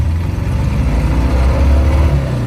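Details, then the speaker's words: Car driven with fouled spark plugs, no spares available: a lumpy, loping low rumble with an uneven beat, "runs about as good as two," cooler with no cylinder pressure or power; two-cylinder misfire. "That sounds exactly like a Volkswagen air-cooled. Yeah, runs about as good as two."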